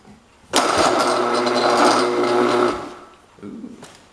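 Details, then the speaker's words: 1967 112 round-fender small engine cranked after torquing bolts, before fitting the carburetor; steady even chugging for about two seconds with a solid regular beat, compression present; normal cranking compression. "you can hear it if you listen carefully see Justin is up compression there we go"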